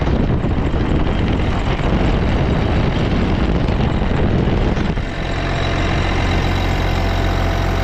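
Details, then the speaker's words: Case 305 diesel after replacing exhaust manifold gaskets: steady low idle, even and unbroken, with the previous ticking gone; normal idle. "Hey, now that sounds more like it. No more ticking sound."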